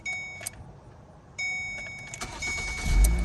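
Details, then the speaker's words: 2008 Ford Focus SE 2.0 L after a no-start, battery found at 75% and then charged: short quiet spell, then a brief crank that catches immediately with no clicking; starts normally, battery still suspected. "nope start it right up huh"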